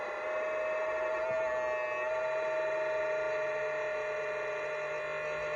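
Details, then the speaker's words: Hobby LiPo charger, about a year old, charging a 6S pack: steady mid-pitched whir like a kitchen mixer from its loud cooling fan while charging. "M you know this thing sounds like a mix master like I'm in here getting ready to make cake batter"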